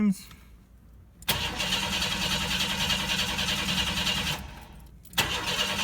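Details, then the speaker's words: 1992 Chevy S10 Blazer with TBI, fuel pressure test: starter cranks the engine steadily for seconds at a time but it never catches; gauge shows zero fuel pressure, crank-no-start from a dead fuel pump. "okay I got no fuel pressure I hooked this up wrong or and I have my fuel pumps dead"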